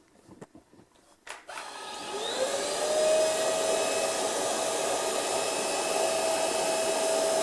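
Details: Ultenic U10 vacuum at speed 1 with microfibre brush, on a large amount of dust: handling knocks, then the motor whine climbs and steadies into an even high hum as the dust sensor automatically boosts speed.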